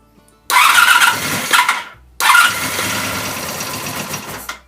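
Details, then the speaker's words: 1984 Honda VF750F after sitting, new starter motor, fuel being drawn through to the carbs, fuel pump not heard: two long ragged cranking bursts that almost catch then die back; extended cranking, no start. "Well, as I crank it, it's pulling fuel through the system. She wanted to fire then."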